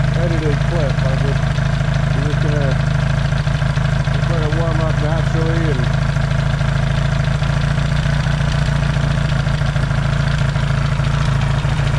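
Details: Yamaha XS650 twin after fixing its burning-oil problem, warming after a cold start, points not yet properly adjusted: steady, deep even idle beat, no misses or knocks; healthy, no longer smoking.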